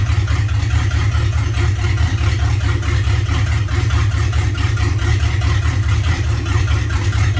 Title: LQ4 rough Idle